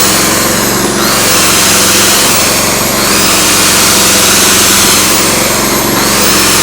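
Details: Briggs & Stratton P3000 PowerSmart generator after fuel pump replacement and tune-up (no-start from old stale gas), on premium non-ethanol fuel, powering a power tool: steady high-pitched drone with slight rise and fall under load; holds speed well, fuel shutoff later found leaking.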